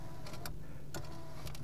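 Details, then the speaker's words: 1980s/90s GM car power window with a tape-drive regulator, bumped gently so it moves up. Low steady motor hum with a few light clicks. "so the best thing you can do is just kind of like you saw there I bumped it and now the window's going to go up just be gentle with"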